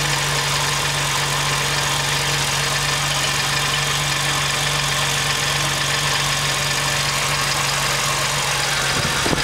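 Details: 2005 Jeep Wrangler Rubicon at cold-start idle, accessory belt removed: light quick ticking over engine note that goes away once warm; belt-driven parts ruled out, source unknown.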